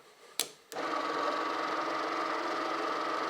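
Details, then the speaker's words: Old 6-volt G414 generator (Ural) bench-tested as a motor from a 12-volt battery before rewiring its windings for 12 volts: after a click, a steady even hum with a light high whir, no jerks, slight normal sparking, generator in good order. "Все работает ровно, без рывков, без проблем. Немножечко искрит, но это так и должно быть."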